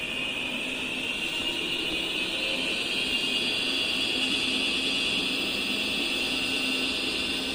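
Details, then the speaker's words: Electric treadmill, running: steady high-pitched hiss and whine, no knocking; suspected worn roller or motor bearings. "puede ser desde los rodamientos del motor o los rodamientos de esto rodin"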